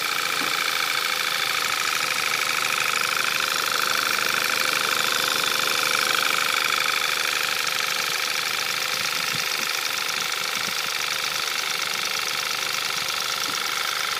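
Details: VW Scirocco 2.0 TSI DSG, 02/2012, 9,800 km, cold start idle: light, fast, fairly even ticking seemingly from the top end; owner unsure if normal, source not pinned down.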